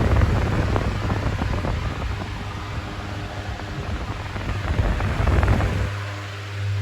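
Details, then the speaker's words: 2000s Bionaire 2cool 16-inch pedestal fan, bought used at a car boot sale, on medium, drawing about 67.2 W: loud, steady rush of air over a low hum with no rattle or wobble; it runs normally but very loud. "the fan is still pushing out an insane amount of air and it is still very loud."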